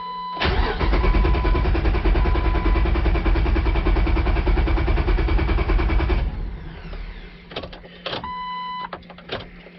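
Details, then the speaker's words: 2004 Jeep Wrangler 4.0L six-cylinder, about 250,000 miles, code P0340, scan tool showing cam/crank going in and out of sync: steady cranking about four beats a second for six seconds without catching; cam sensor/synchronizer fault, long crank no start. "this has got a code p340 and it sometimes it just takes forever to start it'll crank and crank and crank and crank sometimes it'll spit and sputter sometimes it'll start up pretty quick"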